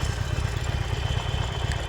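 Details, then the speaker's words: Salvage Harley-Davidson V-twin after about 20 minutes running, fully warm, oil pumping: deep steady loping idle with no clatter or misses; sounds healthy. "It's been running now for about 20 minutes. It sounds beautiful. It really does sound lovely,"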